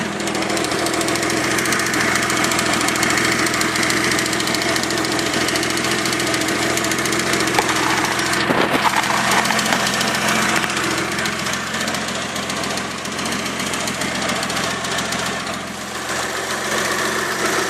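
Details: Freshly rebuilt Mitsubishi 3000GT petrol engine idling with a light, fairly quick ticking over the steady running sound.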